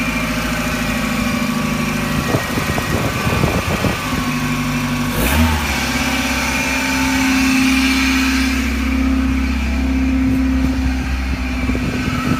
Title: Whirring / grinding noise MX-5